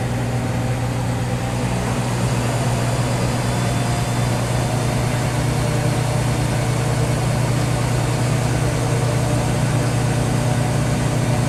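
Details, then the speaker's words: Whirlpool Duet Sport front-load washer after control board solder reflow fixing F-1 relay error that cut out during final spin: steady low drone spinning up while draining, even hum, no knocking, banging or cutting out; normal spin. "So it's already just doing the spinning and draining. Now it's time to spin up."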